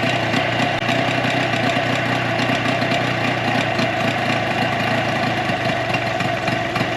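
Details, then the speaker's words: 2004 Tohatsu 9.8 two-stroke long-shaft electric-start outboard after general maintenance: busy, steady idle that can sound ragged, no dropouts. One cylinder was suspected of missing, but a plug-boot pull test showed both cylinders firing; normal idle. "Because to me at first it sounded like it wasn't hitting on both cylinders, but it was."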